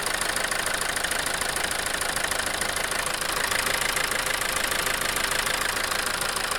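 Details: Toyota 2.2 diesel idling with a hard, sharp knock about three times a second, rough idle and power loss from a faulty injector, before injector replacement.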